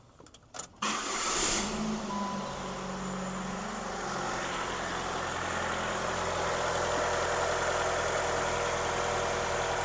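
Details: 2003 Saturn Vue 2.2 Ecotec restarted after timing chain and water pump replacement: quick crank, catches cleanly and settles into a smooth, steady idle with no knocks or rattles; the engine sounds healthy.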